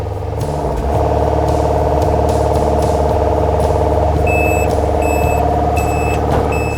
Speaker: We're started. We're going to hold this up. You'll hear the engine running, revving up, and the boom is going up